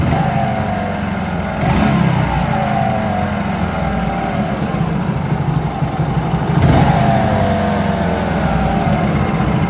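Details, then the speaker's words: Hero Glamour 125 motorcycle, 20-25 days after clutch plate replacement, also hard gear shifting: idling and revving with a dull scraping rub under the engine note; clutch bush pressing against the main bearing collar. "তো আগে আপনারা সর্বপ্রথম শুনুন যে engine থেকে একটা ঘসমাস sound আসতেছে, তারপরে আমরা সমাধানে যাব ইনশাল্লাহ।"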